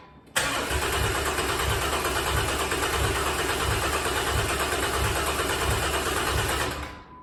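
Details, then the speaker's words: Rebuilt bored-over 3.9L V6 in a Jeep JK: catches instantly and settles into an even, steady idle with no knocks or ticks; healthy. "hell yeah looks like the uh I'm pretty sure if I was a Venton man I'd say the oil pressure relief valve was my problem"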